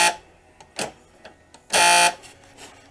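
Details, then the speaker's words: 2005 Dodge Grand Caravan sliding door power lock motor/actuator, tested: works but makes a horrible harsh buzzing grind each cycle, well above normal whir; noisy lock actuator, gears inside later inspected. "works but it makes a horrible noise so you see that it works definitely making a noise"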